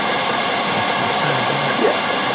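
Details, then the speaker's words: Chinese diesel heater in a van, minus two outside, after replacing the faulty glow plug behind an E03 error: steady, even rushing roar from fan and burner with no stutter or misfire; heating normally. "but look the smoke has cleared yep no smoke and the heater is heating"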